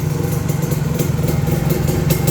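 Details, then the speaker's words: Two-stroke motorcycle (KR, flat-tail) with PopSpeed PS exhaust and autolube, just started easily: quick, even idle burble with steady beat, no rattle or stumble; idle very steady and engine quiet. "รอบเดินเบานิ่งมากเครื่องเงียบกริ๊บเลย"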